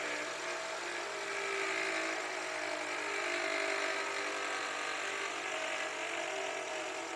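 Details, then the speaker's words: Toyota Voxy 2020–2022, 3R 2.0 engine, over 100,000 km, at idle, microphone near alternator: loud constant rattling whir located by stethoscope at the alternator; worn alternator decoupler pulley. "o barulho tá bem alto a gente escuta bem nítido né não sei se dá para perceber pelo pelo microfone tá ó qual que era o problema desse carro aqui que a gente pegando estetoscópio e vendo da onde estava vindo o barulho vem do alternador tá"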